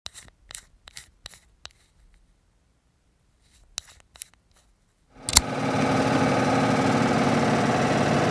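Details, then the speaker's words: Furnace blower suddenly shaking like crazy: a few clicks, then the blower spins up to a loud, heavy, steady rumble; the owner thinks a balance weight fell off the blower wheel, leaving it unbalanced. "I'm not sure what the furnace has done, but all of a sudden it has just started shaking like crazy."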